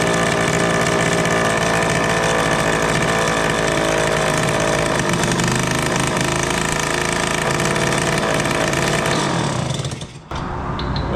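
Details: 1974 Indian ME100 two-stroke barn-find motorcycle, first start after long storage with the spark plug serving as kill switch: a fast, steady ringing idle held well above normal tickover. The idle is set too high.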